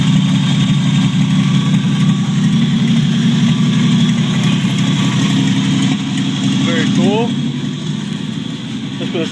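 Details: 1949 Chevrolet Deluxe 4-door, first start of a used replacement engine swapped in for a locked-up one, no exhaust fitted, generator charging: loud raw open-pipe idle with steady deep rumble and even firing, no miss or knock; normal idle.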